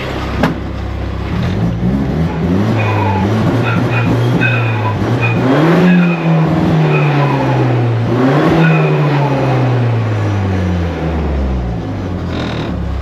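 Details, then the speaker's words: '88 Ford Festiva with a 1.6 EcoBoost from a Fiesta ST on the stock turbo, after swapping around some wiring: revs climb and fall cleanly with the throttle, no stumble or hesitation. Healthy throttle response restored. "So, after swapping around some wiring and going through everything, it now runs as smooth and as beautiful. I have my throttle response back."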